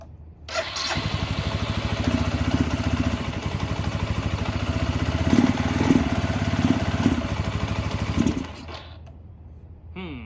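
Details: Barn-find 2005 Suzuki GZ250 single with 950 miles, just started on starting fluid and warming up: lumpy, uneven firing under throttle blips, then dies. Rough running; owner suspects carburetor trouble, needing more choke, and old gas.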